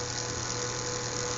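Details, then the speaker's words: Fischertechnik motors driven from an Arduino Mega 2560 circuit after a wire was reconnected: a steady, even hum with a thin high whine and no stutter; all four motors are now running normally. "this motor is working their pulse working"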